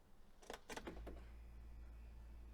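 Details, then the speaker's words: Audi A2 at ignition-on: a quick burst of about four central-locking clicks from the rear doors, then a steady hum. The rear left door lock (used replacement) sounds different and is suspected faulty; the original lock is to be reinstalled. "there are clicking noises coming from the rear from all doors from central locking but especially sometimes sometimes the clicking noise from the left rear doors is quite different"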